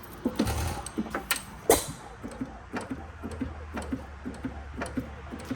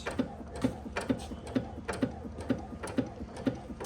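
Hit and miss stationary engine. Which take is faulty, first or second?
first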